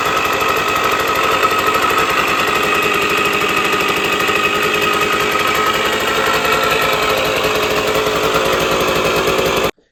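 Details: Sears Sabre 50cc two-stroke motorcycle, 1965 or 1966, first start in 45 years after a carb clean: loud, rapid, crackly buzz, steady and even for about ten seconds before cutting off; normal running.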